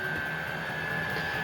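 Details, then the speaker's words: Vevor 8 kW diesel heater ramping up during testing, combustion intake still indoors; later whistling traced to the filter intake: steady, even roar from burner and fan with no pulsing, popping or rattles; heater running normally. "She's ramping up. I noticed before when I did a little filming yesterday, this sounds louder than it really is. Once it gets going, it even gets a little quieter, so it's not that bad."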